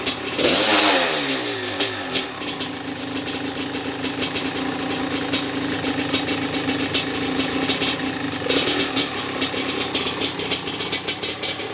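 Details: Maico 660 two-stroke after new reeds, reed intake, jets and clamp-on filter: crisp ringing crackle picking up cleanly on throttle and settling; started and restarted easily, idle needed adjusting; healthy.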